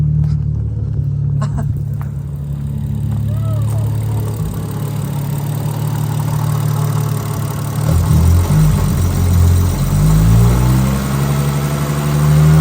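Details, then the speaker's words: Toyota Supra 1JZ-GTE just moved to a standalone ECU, timing set, after stalling from idle: restarted engine runs with low, uneven drone and shifting pitch; oil and fluids fine, something wrong, cause unknown. "I don't know if you guys could hear in the video I'm going to have to watch that back but that's the noises it's making"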